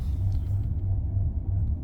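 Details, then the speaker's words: 2005 Maserati Quattroporte, 4.2 litre V8 Ferrari engine, new throttle body fitted elsewhere: high idle with an uneven, hunting rumble that surges and dips, revving weirdly; throttle position adjustment fault. "You can see it's just revving really weirdly. It's idling really high. It's just yeah, not really happy."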